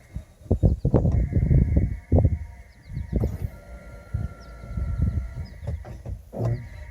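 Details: Lexus CT 200h: irregular groaning creaks and squeaks in uneven bursts, some drawn out and some short, from the suspension; owner suspects a ball joint or control arm bushings. Unconfirmed.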